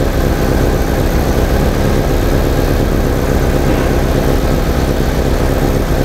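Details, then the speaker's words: 1987 VW Vanagon petrol engine, previously misfiring and stalling, idling after a ballast resistor was added to the ignition coil circuit: steady, even low rumble with no stumbles; runs better and smoother, the ballast fixed the problem. "but since the ballast is on it's definitely running better and smoother"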